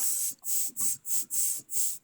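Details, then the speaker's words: Briggs & Stratton 7hp model 128602 on a Craftsman 21" self-propelled mower with hard starting and rough running. Slow flywheel pulls bring sharp hisses as compression blows straight up past the head gasket toward the coil. "when i turn the flywheel like this it's blowing in my face right here it's blowing straight up at that gasket hear it"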